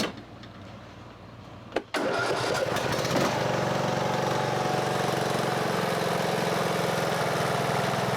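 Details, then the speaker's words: Husqvarna riding mower, Briggs & Stratton engine, after camshaft decompressor failure repaired and Champion RC12YC plug: a couple of cranks, then catches at once and idles smoothly; easy normal start. "and it idles dark nice dude very easy"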